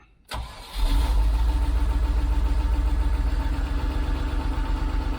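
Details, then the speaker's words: 1989 Range Rover Vogue SE V8, cold first start after long standing: starter whirs, engine catches and settles to a lumpy idle with an uneven puffing beat; owner suspects an exhaust blow. "we might have a blow on the exhaust uh radiation loow a blow on the exhaust there definitely a blow on the exhaust just about here"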